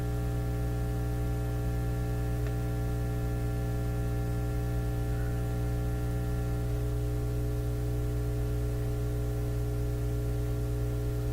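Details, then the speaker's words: Nordmende Elektra F13 tube radio with fading output and an earlier loud roar, checked at the output tube grids. A steady low mains hum with a shifting buzz is heard; a power-supply cause is suspected, not confirmed. "sounds like a power supply on it it's changing"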